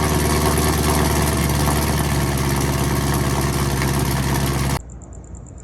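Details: 2016–2020 Chevrolet Camaro SS V8 after Rev 9 axle-back exhaust install (earlier suspected lifter noise was an exhaust leak): deep steady burble, no ticks or knocks, then shuts off; healthy cold idle.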